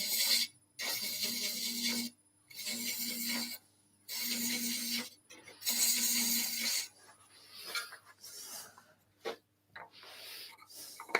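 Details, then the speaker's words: 18 TPI thread chaser cutting screw thread on dry wood on lathe: four rasping, squeaky strokes about a second each; paste wax suggested; finding: squeaking thread chaser cut. "how's that sound ben oh squeaky okay so if it squeaks what can you do"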